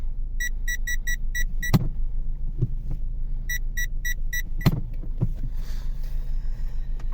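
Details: Car parking sensor after resoldering a broken wire on the sensor that beeped with no obstacle: two clean bursts of about six evenly spaced high beeps while parking near an obstacle; sensor responding properly.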